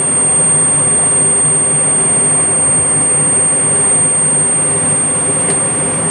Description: This is a video of a furnace in operation that makes a whistling sound when the burners light.